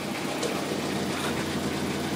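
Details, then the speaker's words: 2003 Toyota Corolla with P0301 intermittent misfire, after replacing faulty cylinder-one injector: even, steady idle with smooth low hum, no stumbles; misfire counts all zero, fixed. "So far, so good. No misfire. I think it's already fixed. Look at, it sounds better, it runs better now."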